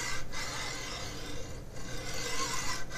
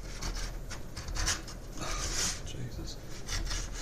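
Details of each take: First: MGN12H steel linear rail, 500mm, carriage pushed by hand: quiet even hiss with pauses at each reversal; one of the good rails running smooth and freely, unlike the sticking bad ones. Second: 500mm MGN12H steel linear rail, carriage pushed by hand with no load: rough, uneven scraping rasp, catching and dragging in spots; the carriage binds badly on a defective rail.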